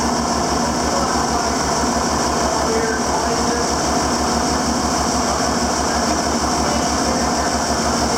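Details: 7410 diesel tractor at its first start after an in-frame engine rebuild, with the injector pump bled up to the injector tips: steady, even, low diesel thump at idle with no misses or knocks, and it sounds healthy.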